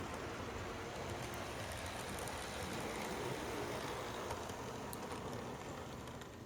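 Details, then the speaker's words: Conrail HO scale model locomotive (Concor) after its gears wore in with use: soft, even motor whirr with faint ticks and no gear grinding; now pretty quiet compared to before. "he gears had to get um used a bit and now the locomotive is actually pretty quiet compared to how it was before."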